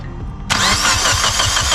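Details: Mitsubishi Evo roadside no-start: the starter churns at an even steady rhythm but the engine never fires. The fuse is fine and the fuel pump relay gets power, so owner suspects a failed fuel pump or something wiring related; not confirmed.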